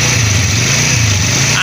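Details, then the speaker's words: 100cc motorcycle after bearing replacement, engine noise previously appeared when clutch was pressed: steady even low idle putter with clutch held in, no rattle or rumble; noise gone, engine smooth. "ये दोस्तों बिल्कुल आवाज इसकी perfect हो गई है बंद कर दो यह दोस्तों हमारे इंजन की बिल्कुल आवाज स्मूथ हो चुकी है बिल्कुल गायब हो चुकी है"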